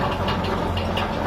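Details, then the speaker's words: Homemade steel-frame lathe, newly assembled, spindle test run. Even, steady hum with a low drone and no wobble, knock or rub; spindle turns precisely true without deviating. Normal running. "maksudnya benar-benar presisi putarannya ini ee enggak melenceng-menceng gitu, benar-benar presisi."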